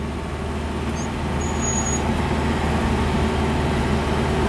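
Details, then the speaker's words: Truck converted to run on wood gas from a wood gasifier: steady, fast engine drone holding well above normal idle with no drop or hunting; idle extremely high. "oh listen the idle very high idle is extremely high you can hear it"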